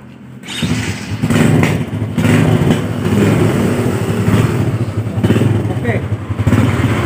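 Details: Yamaha Jupiter Z (robot) motorcycle, after repairing the electric starter that would not work: the starter catches quickly and the engine settles into an even, steady idle with no grinding or slipping; normal electric start.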